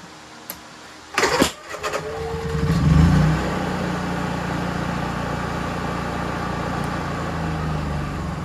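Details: Honda EU3000is inverter generator after a Nashfuel propane/LP conversion kit install: pull-start rattle, it catches, surges briefly, then settles into a steady, even drone; it runs properly.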